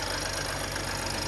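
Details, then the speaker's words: 2017 BMW X5 with N55 engine, cold idle after replacing belt, tensioner and idler pulley and new spark plugs: pulley whine gone; fast, light, even valve ticking, said typical of high mileage and to stop once warm. "Once you get all the miles on there, they tap like that. Yeah, once it warm up, it'll stop."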